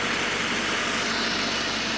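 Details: Petrol Citroën C4 2.0 idles smoothly and evenly with no ticking or clatter after a six-day cylinder head repair at a machine shop; engine now running properly, normal idle.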